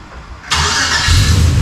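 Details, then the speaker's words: LS-swapped 1992 Dodge Dakota, engine suspected hurt, after catch can install, no vacuum leaks: quick crank, catches cleanly and settles into a steady low idle; normal start. "There we go. That's much better. That's what it's supposed to do."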